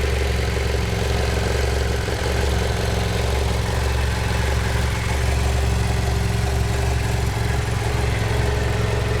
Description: 2010 BMW F800GS 17000km / valves? piston slap? wtf?